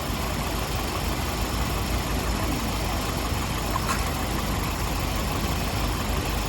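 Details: 1998 Toyota Corolla 1.8 at idle: rough, uneven idle with dull irregular stumble, missing on number one cylinder; misfire moved with spark plug, oil in cylinders from leaking valve covers fouling plug.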